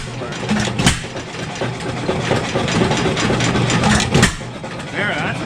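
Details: 7 HP Stickney single-cylinder stationary engine after decades sitting, warming up on choke set to hot, running rich with possible air leak; irregular popping firing and spaced bangs settling into a fairly even beat, running better.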